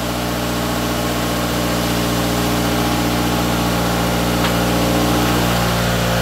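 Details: Toyota AE86 GTS running again after a cleaned, refurbished gas tank, new fuel pump and fuel filter were installed; first warm-up idle with slight smoke: even, steady idle, smooth low rumble, no misses or knocks. Normal warm-up idle.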